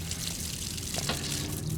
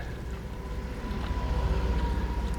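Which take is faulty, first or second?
second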